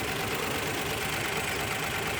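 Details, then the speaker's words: 2002 Lexus IS 300: uneven, stumbling idle with misfire on cylinders 1 and 6; not coil, igniter or timing marks. An oscilloscope shows a double cylinder-one signal, pointing to a broken tooth on the crank gear. "o2 is 300 runs terrible number one the number six cylinder misfire it's not the coil it's not the igniter and it's not the timing belt marks or the timing gear alignment"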